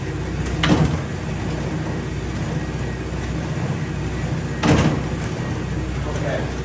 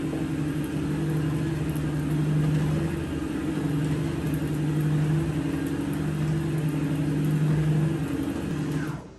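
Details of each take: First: StairMaster StepMill (916/7000PT type) running at high speed with full body weight after about 10 minutes of use: two heavy clunks about four seconds apart over a low drive rumble, steps skipping from a worn drive sprocket and chain. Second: Stairmaster StepMill after replacing the chain to cure skipping, clunking steps, tested at several speeds: steady low motor hum with even rolling rhythm and no skipping clunks, now running smoothly.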